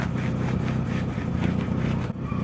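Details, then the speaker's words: Car idling with a loud, rough, deep puffing and strange noise from an exhaust holed at the hood area. "mas esse barulho estranho é porque o escapamento tá furado aqui na capota"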